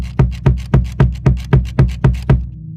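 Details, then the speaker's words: Pearl Eliminator Demon Drive bass drum pedal, about a month old, all lugs and screws tight but the footplate has a slight wiggle. Steady strokes with a thin click or rattle on each thud, worse when the foot comes off the plate under power, bleeding into the mics. "and it's got that rattling and it's kind of annoying and it picks up in my mics"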